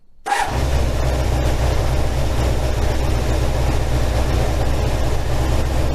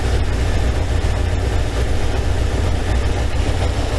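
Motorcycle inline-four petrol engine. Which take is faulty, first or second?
second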